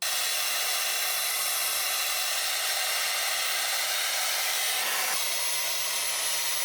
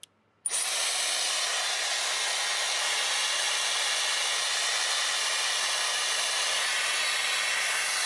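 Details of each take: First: Dyson Airwrap that cut out after about five minutes, after removing a thick layer of fluff from the motor air inlet: steady, even rush of air over a smooth motor hum with no surging or straining; normal running. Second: Dyson Airwrap that cuts out after about 5 minutes, run on full fan speed with no heat before cleaning: a steady, loud airy rush with a thin, strained high whine, motor starved of air.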